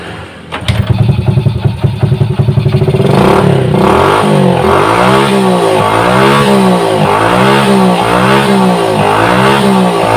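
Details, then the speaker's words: Honda Supra moped, weak and sluggish on hills and vibrating, starting and idling with a loose, uneven rattle pulsing about three times a second. The cause was a loose clutch housing; the engine ran smoothly after repair. "ngempos jadi dia kadang-kadang juga bergetar nada bergetar di nih ditanyakan"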